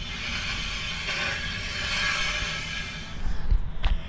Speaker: the more I think it is the dust shield the backing plate on the brakes rubbing